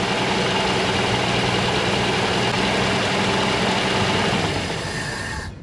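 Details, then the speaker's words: 1964 Jeep Wagoneer after cold start with choke: fairly even idle with steady beat and no obvious lifter tick, then dies down at the end; runs reasonably well. "I also noticed at some point all the lifter noise went away there's also a lot less smoke com me out the exhaust"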